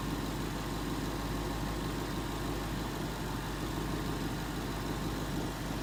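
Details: 2011 Ford Mustang GT 5.0 Coyote V8 with Roush exhaust at first start in an echoey garage, after all eight rod bearings (King CR868SI) and TTY rod bolts were replaced and 5W-30 added: steady, even idle, deep note; earlier tick and knock gone.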